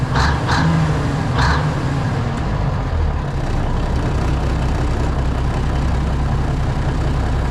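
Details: Classic White Freightliner diesel truck idling right after a cold start, transmission cold, air brakes frozen: a couple of short air hisses, then a steady, even low idle with no knocks or misses; good oil pressure, healthy idle.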